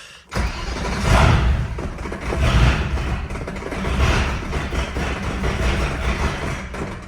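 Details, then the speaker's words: 1976 Mercedes W115 with alloy-block M117 V8, during a manual gearbox swap: catches and runs unevenly after start, note swelling and sagging about every second and a half, then sounds much better. "Sounds terrible. Oh, much better."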